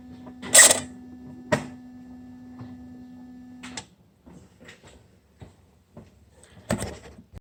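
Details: BMW E46 330d M57N turbo actuator: steady electric hum with sharp clacks stops abruptly, leaving scattered faint clicks; abnormal actuator noise.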